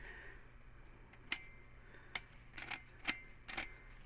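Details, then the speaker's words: Old clutch disc and throw-out bearing removed from a 1996 Jeep Cherokee XJ after 262,000 miles on the original clutch, which chattered but did not slip: sharp metallic clicks and rattles from worn disc damper springs when shaken by hand. "springs are all wasted now throw out bearing can you hear that good stuff huh"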